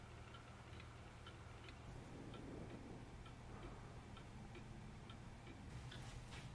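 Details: Eighteenth-century three-train fusee spring clock, after repair, cleaning, Moebius D3/D5 oiling, mainspring grease and new gut fusee lines, on test: quiet, evenly spaced ticks, steady beat, no skips or stumbles; running healthily.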